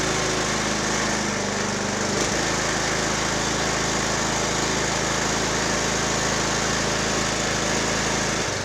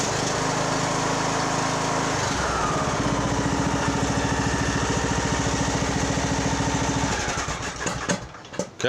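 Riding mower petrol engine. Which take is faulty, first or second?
first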